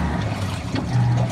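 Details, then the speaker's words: LG WF-T7070CP top-load washer after repair, running with water: low steady hum with water swishing, no knocking, banging or grinding; now quiet and smooth. "Ayan na siya. Ah, tahimik na. Ah, mahusay na yung laban na. Swabe na."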